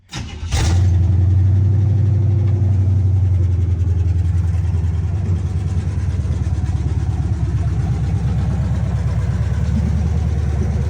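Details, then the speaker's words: 1976 Chevy C10 small-block 350 V8 after 2-barrel to 4-barrel carburetor and intake swap, restarted after choke opened up: catches at once and settles into an even, steady low idle with no misses or knocks; normal healthy idle. "that sounds pretty damn healthy okay well we got that done"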